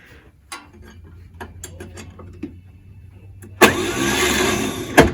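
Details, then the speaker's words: 1938 Chevrolet Master Deluxe, sitting since the early 1970s, with a freshly rebuilt single-barrel Holley; the battery may also be weak. Scattered clicks, then a short laboured whirr with no firing. Weak starter, slow cranking. "part of the issue is is neither Austin nor I want to head out with a starter that can't hardly spin this thing over because if it dies or every time it dies we'd end up needing a a pull start which just not very wise"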